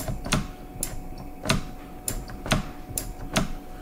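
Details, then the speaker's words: Honda Rancher ATV with a newly installed replacement brake switch: crisp, light clicks about every half second as the lever is worked, matching the other side; the switch is actuating cleanly and sounds healthy. "You can hear making the connection. Okay. Okay. You guys hear that? Sounds just like this other side."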